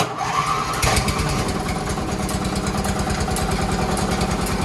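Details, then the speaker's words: Shop tow tractor cranked from a fully dead battery using a jump pack, choke on: short crank, then it catches at once and settles into a steady idle. Normal start and idle. "And just like that, we're going."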